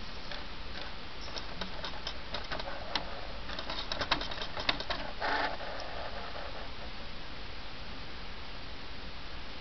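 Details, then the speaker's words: Xbox 360 disc drive with an open-tray problem: quick, light, uneven ticks over a faint hum as the disc spins but stays on reading and never loads. The owner's fix, not confirmed, is to put the top back on and tap it. "Yeah, it'll start doing that first. It'll make that sound at first."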